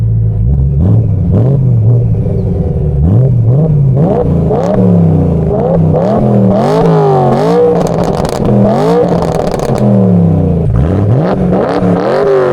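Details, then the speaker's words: 2011 BMW E90 M3 with S65 V8, muffler delete with cats still in, before catless double X-pipe install: repeated clean revs rising and falling smoothly, deep steady exhaust note, no rattle. "All right, so we're gonna rev the car right now so you can hear how it sounds without the rattle."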